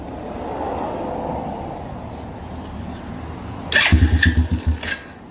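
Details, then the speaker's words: 125cc pit bike after fitting a Mikuni VM22 26mm clone carb and a suspected jammed throttle cable, while setting the idle screw: a steady, even putter at modest idle with a brief rev blip; normal healthy idle. "hey hey let's go ahead and set that idle screw now that's a good sound right there that's what you want to hear"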